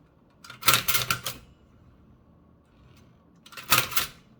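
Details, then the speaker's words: Toshiba BW-3112 Japanese kanji typewriter after restoration and adjustment, typing English: crisp clean key strikes with the mechanism now smooth, some crackling from the pressed backing sheet. "But most importantly is that now it's pretty easy to type in English smoothly."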